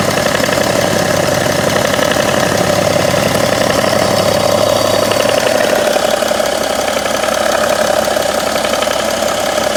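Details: 2011 BMW 335d (286 hp), 205,000 km: light, uneven ticking at warm idle from the engine front, seemingly near the damper pulley; intermittent, about 2 s every 3 s, gone when cold or when revved, quieter with A/C on.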